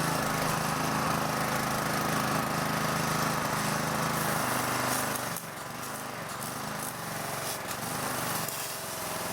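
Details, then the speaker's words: Honda GCV 160 mower engine just after spark plug replacement (new plug, hand tight plus half turn, connector reconnected); fires and settles into an even, steady run with no misfire or stumble, healthy. "Then you know it's good. And now we can start the engine again."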